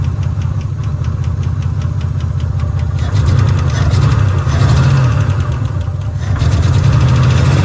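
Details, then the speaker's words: 1986 Nissan Maxima wagon, 3.0 V6, abandoned for decades, first idle after revival: uneven lumpy idle, irregular low thump, wavering speed; owner blames a bad fuel leak and near-empty tank, no oil pressure shown (gauge possibly faulty). "with a bat with a bad fuel leak a fuel pump in the trash can almost out of gas yeah bat fuel leak that's why it's running so bad"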